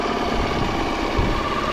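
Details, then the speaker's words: Outboard with idle screw maybe slightly high, air mixture screw about 1½ to 1⅔ turns out, judged this motor's sweet spot; smooth, even idle with steady low beat, no surging or hunting; normal idle. "But, I think that setting seems to be the sweet spot for this motor."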